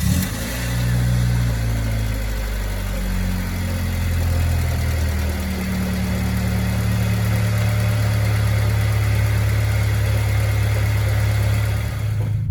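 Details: 1995 Honda Civic, coolant temp sensor plug temporarily fixed (pins plugged in) awaiting new plug: steady, even low idle hum with no knocks, stumbles or surges; engine idles smoothly and healthy.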